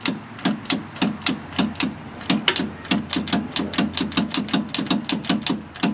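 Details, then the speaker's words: John Deere 2155 tractor won't crank: rapid dry clicking, about four a second, engine never turns over; faulty starter solenoid, after battery cables at starter had been cleaned without success. "It sounds like the solenoid clicking."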